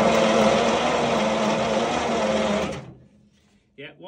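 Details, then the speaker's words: Centurion ARV winch engine, cranked after cleaning the points: steady whirring crank for nearly three seconds with no firing, then it stops; one set of ignition points sparks well, the second set barely, so no start. "sparking nicely the other set it's not doing a lot so we'll just work on that second set"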